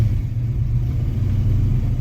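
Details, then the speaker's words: 1967 Ford Mustang being inspected before purchase, cold engine just after startup: deep, even steady idle without knocks or ticks, good oil pressure; normal idle. "Good oil pressure. E-brake off, which we know the e-brake works."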